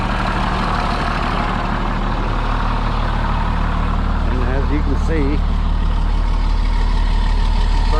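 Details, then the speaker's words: DT466 diesel in an ambulance conversion, cold start at about 32°F after sitting about three weeks, glow plugs cycled first. Deep, even idle at about three beats per second, steady and unlabored. Burning clean; normal cold start idle. "and we'll give her a cold start she didn't start about three weeks i don't think there we go fired right back up"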